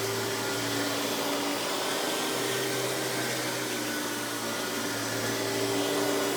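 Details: Hoover PowerMax Supreme 850 S3609 1990s canister vacuum, non-original hose, high speed with power brush running: steady even motor roar with constant high tone, no surging or knocking; runs very smooth though not the quietest; normal running.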